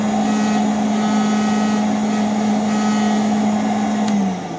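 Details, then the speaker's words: Very old vacuum cleaner with warped plastic top housing over the motor: a steady motor hum with a buzzing edge that drops away near the end. Motor vibration and heat mean the top housing doesn't seat well and it buzzes. "the motor is up inside um you know vibrates this and also Heats this up over time and uh it just it's not seating very well and it's got a little bit of a buzz"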